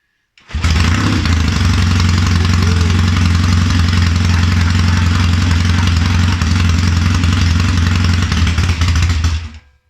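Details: Triumph Tiger 90 350 twin, first start after rebuild with electronic ignition, new seven-plate clutch upgrade, little choke: catches and settles into steady even low thrum with no knocks or misses; normal running after rebuild.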